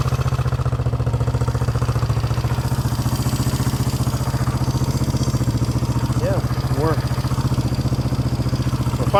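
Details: 1971 Honda CB350 twin that previous owner said had low compression, finger test showed compression, possible throttle cable routing issue: steady, even idle putter from both cylinders firing, no missing or lopsided pulses; plenty of compression.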